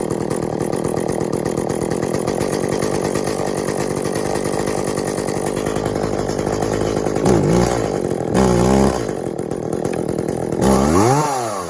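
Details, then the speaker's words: Echo CS400 chainsaw after OEM oil pump replacement and a carburetor tune to fix bogginess (limiters still in): steady idle then clean quick throttle blips; runs acceptably, oiling well. "All right, we got the Echo CS400, and we just changed the oiler in it. It's oiling really well, and had to do a little tune to it, kind of boggy, and we probably could still use a little bit more"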